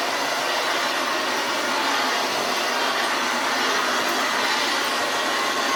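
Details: Old Hoover Senior 652A upright vacuum cleaner running while cleaning the floor after a belt change; steady rough hissing roar with coarse edge and little low body: the awful-sounding motor runs harsh and noisy, cause unknown until stripped down.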